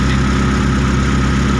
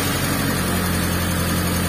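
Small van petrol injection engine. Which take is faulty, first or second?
first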